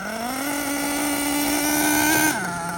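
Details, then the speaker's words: Losi LST nitro RC truck, first run, warmed up after fixing a loose flywheel: high engine tone holds under load then drops as drive lets go; intermittent slipping, flywheel, clutch and tightened slipper ruled out, owner suspects transmission internals. "It's definitely not slipping nowhere near as bad, but there's still something kind of goofy with it."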